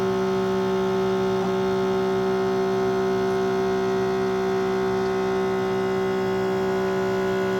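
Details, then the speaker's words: Keurig Mini K coffee maker: steady electric pump hum and buzz, but the brew stops before finishing, a repeated issue; owner resets by reopening. "so you hear the palm and this is the point it didn't go all the way I've had this issue many times"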